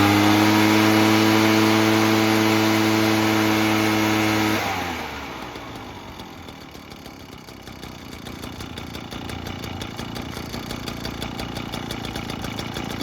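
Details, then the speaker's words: Echo PB-403T two-stroke backpack leaf blower after repair work, started outdoors: steady high whine, then a clean even idle with no hunting or stumbling; normal running. "all right cool so happy with that works pretty good"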